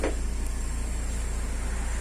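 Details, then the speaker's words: Car idling after repair of lifter noise and oil warning light caused by old, carbonized oil: low, even idle with no lifter ticking; check-engine light still on for an unrelated fault. "o carro tá ligado, vocês estão ouvindo algum barulho de tucho? Olha só. Viu só? Vou mostrar pra vocês aqui, ó. Problema resolvido."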